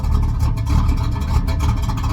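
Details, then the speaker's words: 1979 Pontiac Grand Prix G-body, first start after purchase; deep, choppy, loping idle with uneven low thumps from a big-overlap camshaft; engine otherwise runs fine. "he sounds mean probably okay she's a runner definitely got a cabinet you can hear that overlap"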